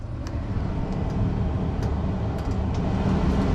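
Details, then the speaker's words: Blower motor in a 3/4-ton Chevy van, two years after lubrication fix, on second speed: steady, soft airflow rumble with no grinding or humming; quiet, smooth operation where before it was loud and irritating. "Listen how quiet that is. No grinding, no humming, no nothing."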